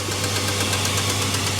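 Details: 3.7 Dodge Dakota towed in after coolant spewed from the surge tank cap, possibly from overheating: rough, uneven idle with a steady low drone and regular chuffing as at least one cylinder misfires, popping hard through the intake.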